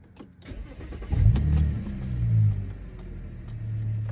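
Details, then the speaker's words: 2010 Audi A6 C7 3.0 supercharged V6 after spark plug replacement and clearing codes P0300, P0304 and P0305; quick start and smooth, stable idle with no stumble or warning lights, misfire fixed. "okay it's idling fine right now no lights idle is pretty stable"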